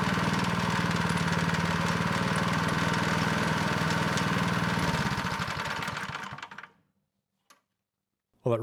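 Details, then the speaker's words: Neglected Craftsman snow blower 247.889571, running with belt cover off: even, smooth chug with no scraping, then clean wind-down at shutoff; scraping had come from pulley and belt rubbing the cover. "things actually sound pretty good in here not hearing that scraping anymore"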